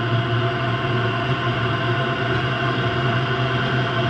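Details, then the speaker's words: Rebuilt Eberspacher Hydronic D5WSC heater after flame detection, now kicked into high output: a steady low hum with a smooth roar over it, no pulsing or sputter, burning cleanly. "Okay, so she's gonna keep going because she just detected the flame. She just kicked into high."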